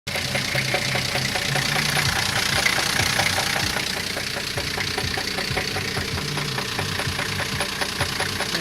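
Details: An engine turning over produces a steady, fairly regular knock of about two to three a second; the knocking occurs with the engine shut off, and its cause is unknown.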